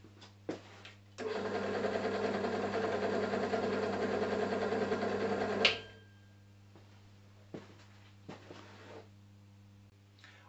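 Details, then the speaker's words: Draper pillar drill after insulating the pulley cover (about 7 dB less) and adding rubber grommets underneath (about 3 dB more), noticeably quieter than before. Steady even motor whir with light belt hum, no knocks or rattles, then spins down. "for me there's an audible difference it's significantly quieter than it was"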